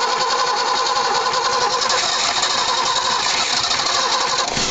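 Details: BMW E21 petrol engine running for the first time after 15 years: fast, raspy idle with a rapid, rattly knocking sound of unknown cause; owner asks what the knocking is.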